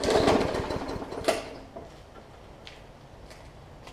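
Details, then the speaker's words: Hyper Tough Briggs & Stratton OHV push mower with a plastic carb, left unused over winter with water in the fuel; brief burst of irregular sputtering pops that fades without catching, misfiring from water in fuel and likely on the plug. "so you can hear it popping so there's a little bit of water that's probably in the plug as well so i'm going to continue to pull it it'll catch at some point"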